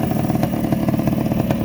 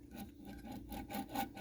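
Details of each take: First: 1984 Honda ATC250R air-cooled two-stroke three-wheeler, engine just rebuilt with new crank bearings and a fresh top end, after early start attempts with a suspected bad ground: crisp, even crackle with steady firing ticks, no knocks or misses; runs cleanly and healthy. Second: 1984 Honda ATC250R air-cooled two-stroke engine, bottom end torn down with debris inside: crank spun by hand gives a dry, gritty rasp pulsing each turn; crank bearings worn, crankshaft sealing surfaces need cleanup.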